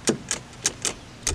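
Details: Hustler FastTrack zero-turn mower: sharp single clicks, about six in under two seconds, with no cranking when the key is turned. Persists despite a new starter, relays and solenoid and a bypassed seat switch.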